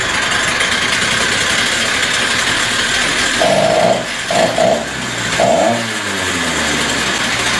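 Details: Stihl TS350 cut-off saw after engine rebuild and idle screw adjustment, air cleaner and filter not yet fitted; high buzzing revs stumble and dip briefly mid-run before picking back up, slight bog on throttle opening; carburetor further adjustment deferred.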